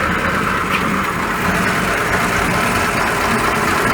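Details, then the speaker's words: 1941 Ford pickup after fixing noisy water pump, reassembled and test-driven about 10 miles: steady even idle with soft smooth hum, no knocking, ticking or squeal from front; nice and quiet, healthy. "Hello, I've put it back together and I've been for a test drive, and it's nice and quiet."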